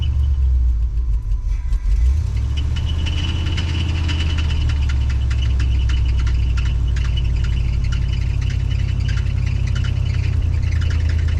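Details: 1988 Cadillac V8 unrun for 16 years, before carb kit: low, lumpy idle with uneven pulse; carburetor problem suspected, not confirmed.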